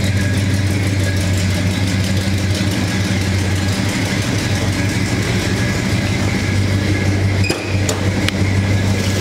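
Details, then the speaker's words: 1969 Pontiac GTO Convertible, 400 cubic inch Pontiac V8 with 400 Turbo automatic, engine and transmission appear rebuilt, original exhaust manifolds: deep, lumpy V8 idle with steady beat around three per second, strong low rumble, healthy and even; normal idle. "Car's got a great sound to it."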